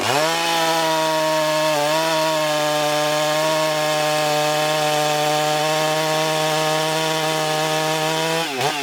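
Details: Husqvarna 394XP chainsaw, freshly rebuilt and ported, first shakedown runs cutting a log: high steady scream holds pitch through the cut without bogging, drops cleanly when released. Runs normally; may lean the low jet slightly and richen the top end.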